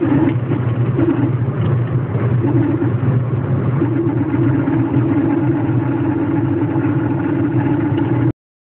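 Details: Citroën Saxo engine running with a rough, uneven rumble and a faint clattery edge; the owner calls it a weird noise and its source is unidentified.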